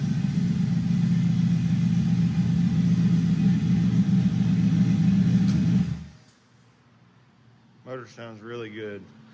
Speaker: Motor sounds really good. Let the idle come down.